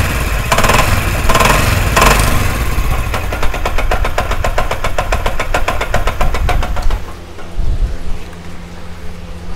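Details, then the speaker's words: Motorcycle at rough idle with heavy metallic knocking about four times a second, fading as revs drop; a mechanic blamed the connecting rod, but the actual cause is a loose clutch hub nut rattling. "दोस्तों आपने आवाज़ सुनी, आवाज़ कितनी ख़तरनाक है। आप देख सकते हैं कि बाइक का ऐसा लगता है सारा इंजन ही ख़त्म हो चुका है।"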